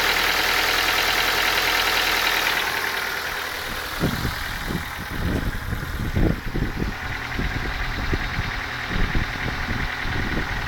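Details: Ford Focus 2 engine at idle: uneven knocking of roughly three or four knocks a second, source unclear; engine knock at idle.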